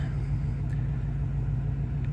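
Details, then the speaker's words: LML Duramax diesel truck idling after a cold start, with new batteries; low steady rumble staying lit, seemingly running longer than the day before, which usually died after about 20 seconds. Owner unsure what fixed it. "Y'all, I really think this is longer than it ran yesterday, so maybe that did it."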